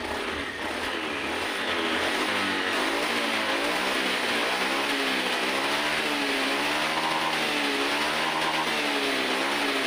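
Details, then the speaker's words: Honda Vario 110 FI scooter after a full injection service, with the data reset via a scan tool and the throttle-opening reading now at 390: pitch climbs and falls cleanly with each throttle blip; throttle response light and very responsive. "Tarikan gas motor sekarang sudah enteng sekali dan terasa sangat responsif."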